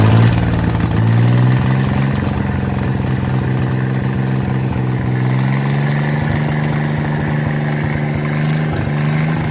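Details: Mid-1950s Chris-Craft Model W (marinized Hercules WXLD) inboard in a 1940 23-ft speedboat, rebuilt after an oil-pressure-loss failure, test run: even steady low rumble with a smooth regular beat, no knocks or misses; normal running.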